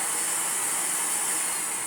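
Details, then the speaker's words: Vorwerk Kobold VK200 vacuum cleaner running without its floor head, after beeping and refusing to run with it attached; a clog was later found. A steady, even, high-pitched rushing hiss with no surging or rattles. The motor is smooth and quiet. "Great. So, smooth and quiet."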